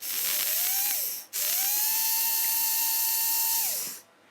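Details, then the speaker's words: Tri-ang Hornby model railway motor, dry rear bearing oiled: smooth high-pitched whine spins up, holds steady even pitch, winds down without rattles; motor runs well. "I think that would be quite a nice motor"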